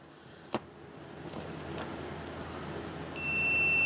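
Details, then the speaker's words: Husqvarna 150BT backpack blower that won't shut off by its switch: loom rustles while the trigger-to-coil wiring is wiggled, then the meter beeps steadily as the wire flexes. Broken copper wire inside insulation. Intermittent open circuit. "I'm just wiggling both sides of that. Sometimes you move the wire around and you'll find it because this loom is not split."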